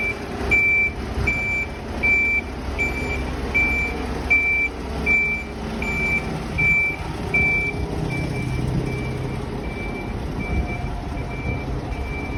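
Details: Golden Tours Volvo B8L MCV EvoSeti bus (fleet 207, LF20AXH) idling: sharp high beep about every three quarters of a second over rumbling engine; persistent warning alarm, cause unknown.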